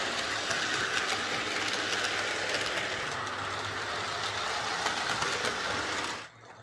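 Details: Old Tri-ang R52 Jinty 0-6-0 tank model locomotive on layout after repair (motor insulating sleeve replaced, cleaned and oiled; previously dead): light even whirr with soft rhythmic track clicking until it stops; running smoothly.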